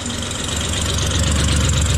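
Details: Rough, uneven idle, earlier running on 4 cylinders after spark plug wires found pulled off, with a raspy puffing hiss from an exhaust leak at the EGR valve tube, which needs bolting in.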